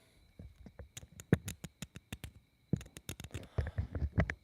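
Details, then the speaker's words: High-mileage 351W from 1986 F150, failed after reseal with rattling rods, torn down on stand: fingernail dragged across main bearing gives quick rough clicks; bearing worn through babbitt and heavily scratched, crank also scored and will need cutting. "Yep, sure enough, there are a bunch of scratches in that bearing. And, not only is it in the bearing, but this crank."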